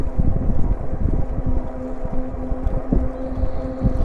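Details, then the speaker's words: E-bike on pedal assist 2, gear 7, holding about 14.5 mph on pavement, slight downhill: only a low tire hum and a little wind, motor itself very quiet and healthy. "And this bike is very quiet. The only thing you basically hear really is the tires humming on the pavement here. The motor is really quiet."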